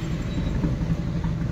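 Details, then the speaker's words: Mahindra Bolero Pickup BS6 diesel with starting problem, codes P0088, P262B, P128, P1233, P1832: after a rev it runs rough and lumpy at a low beat, then stalls; cause unknown. "देखिए race ले रहे, अब गाड़ी बंद हो जाएगा,"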